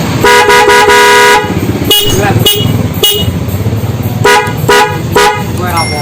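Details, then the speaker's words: Honda CB150R motorcycle with added Denso horns wired through a relay to the battery, standard horns retained: loud, clean twin-tone short bursts and one long hold, steady pitch with no rasp or crackle. Normal horn operation. "Nah, suaranya bisa maksimal dan kenceng ya bro ya."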